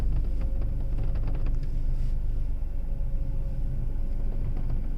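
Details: Skoda Kushaq at low speed while parking: a deep rumble with loose, uneven clicking and rattling, strongest early on.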